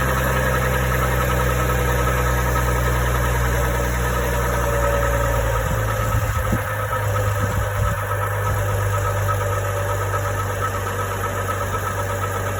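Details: GMC Envoy 4.2L at a steady idle with a loose, uneven tapping underneath at roughly four per second: an engine knock from below, origin unknown.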